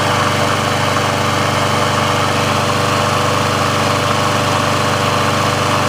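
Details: Briggs & Stratton engine on a Sears Craftsman mower after service/repair, warm with the auto choke open: steady, even drone at constant speed with no misses, surges or knocks. The auto choke works as it should, so running is normal.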